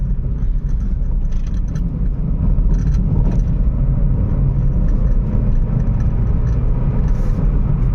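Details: Volkswagen Polo after repair (previously misfired at 60-70 km/h with engine and EPC lights, code P0301 cylinder 1 misfire): steady low engine and road rumble while driving, no stumbling or misfire.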